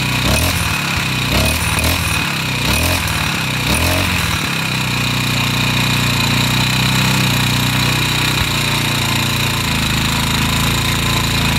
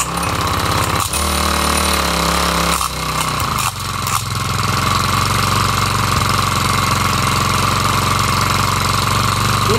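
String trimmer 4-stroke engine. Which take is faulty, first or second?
second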